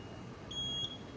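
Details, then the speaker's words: Fire alarm panel high thin buzzer, breaking off then resuming, warning a point is disabled: loop 1 module address 1 bell circuit (bell 2 north) disabled via menu. "Nah, ini buzzernya bunyi tanda kalau ada yang programnya ada yang disable."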